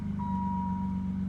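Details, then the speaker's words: BMW E28 at its first start after a new fuel system: a steady low hum at an even idle with a faint high tone on top and no knocks. Runs smoothly; a fuel leak was noticed later. "Not seeing any leaks. And I hear it humming. That's a win."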